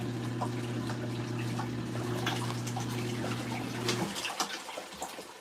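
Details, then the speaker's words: LG ThinQ MEGA Ultimate washer on the Deep Wash cycle with default settings: steady drain pump hum with splashing and gurgling from the drain hose, then the pump stops and drips trail off. Normal drain operation. "We're getting tons of splashy. Tons of splashy. You could hear it coming out of that drain hose."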